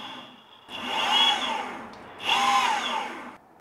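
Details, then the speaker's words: Boosted Board V2 after cleaning and belt tension adjustment to cure weird noises: two smooth whines rising and falling with each throttle pull, no chatter or grinding from the belts; drive sounds healthy. "dog board is cleaned everything seems to work now let's check it yeah baby"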